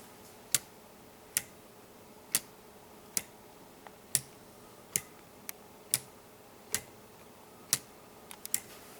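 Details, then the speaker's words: Homemade weight-driven pendulum clock: crisp sharp ticks about once per second as the escapement presses the pendulum sides to make it rock. Normal pendulum clock ticking. "When you hear that, that ticking sound, that tick tick tick tick. That's what this is. That's what that is. It's uh just the skatement pressing on the sides of the pendulum to make it rock."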